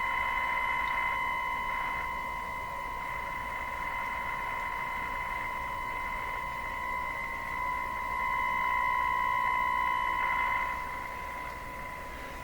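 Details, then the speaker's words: Nordmende Turandot tube radio being checked for low speaker output, alternate tubes fitted and tone buttons disconnected: a steady whistle near 1 kHz grows buzzier and harsher as volume rises. Distortion; owner suspects the output tube's grid potential. "What's happening? I wouldn't say I hear that. It's sounding worse and worse, isn't it?"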